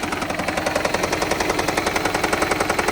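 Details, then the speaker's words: Toyota Prius 20 (owner has fitted LPG) misfiring hard right after a start, with hard lumpy thumping about three beats a second and jerking; it also burns nearly 1 L of 5W-30 oil per 1,000 km, owner fears the engine is finished, cause unconfirmed. "Короче, он жёстко троит. И он жрёт масло."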